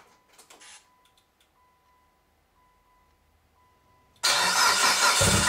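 Key-on warning chime beeps about once a second, then loud starter cranking that never catches into a running engine.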